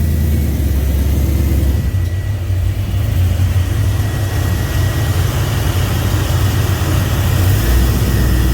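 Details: 2000 5.3 LS V8 swapped into a 1992 C1500 with reworked standalone harness, tuned, coils changed: uneven, lumpy idle with stumbles when hot or under load; misfire suspected from fuel pressure loss as pumps heat up, unconfirmed.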